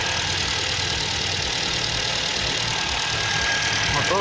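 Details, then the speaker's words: Engine's first start after a full overhaul: starts first try, oil pressure light goes out, steady even idle with no knock or misfire, normal idle. "Вот он, двигатель запустился с первого раза. Давление потухло."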